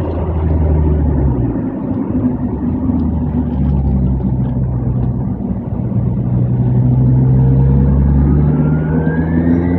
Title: Z20LEH turbo failure